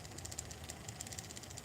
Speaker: that does not sound good that's what I mean about these closed gearboxes you get them closed and then something get that clicking